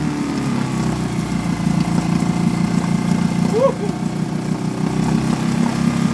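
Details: Suzuki DF2.5 2.5 HP outboard, long stored and not starting, after fuel tap and tank vent opened: steady, even putter, no stumbling or dying; idles healthily.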